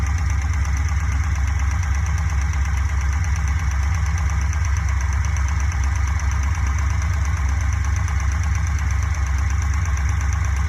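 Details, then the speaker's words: Fuel-injected Corvette idling with a modified valve cover off: a quick light tick about twice a second. It is suspected to come from cylinder 3, likely the exhaust valve; one rocker sits longest, so excess valve lash is to be adjusted. "the ticking seems to come from over here number three exhauster intake i think the exhaust one is the problem"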